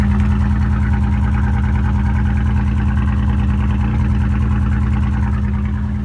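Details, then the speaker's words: Nissan Frontier petrol engine idling after overheating and cold water added, owner suspects water pump problems; slightly uneven, off-sounding exhaust beat, misfiring a bit but not running too bad. "It's actually not running too bad. It's misfiring a bit, but here's the exhaust tone."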